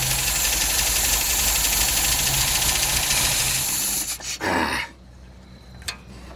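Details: Engine just after a cold start with the choke being overridden: loud, uneven running beating about four times a second, then dropping away. Oil pressure reads 60 lbs but a red dash light is on; rough running, cause unclear.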